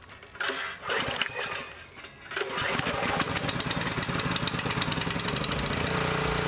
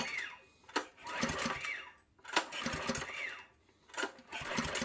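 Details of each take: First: Honda GX200 clone single-cylinder engine after carburetor cleaning: rough catch then steady even run with no hunting or surging; cleaning fixed the idle search problem, running well. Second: Honda GX200 clone, recoil starter pulled three times: each pull gives a brief whirring crank with no firing. An inline spark tester shows no spark.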